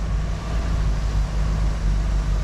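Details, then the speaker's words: 1974 Ford Bronco, revived after over 16 years, warm with thermostat open, power steering fluid not too low; idling while wheel turned side to side, steady rumble with no pump whine; power steering works normally. "Doesn't whine. Look at this. That's power steering, folks."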